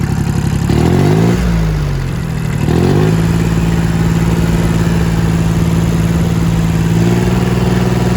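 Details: Engine warm after repair of a knocking sound: a couple of quick revs, then a steady, even hum with no knock; runs smoothly now.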